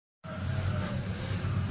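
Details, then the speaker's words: HP LaserJet M1005 printer: steady low motor drone with a rough gear rumble underneath, display asking to load plain A4; worn or damaged drive gears. "तो दोस्तों इस प्रकार से ए 1005 printer के गेरो की आवाज आ रही है"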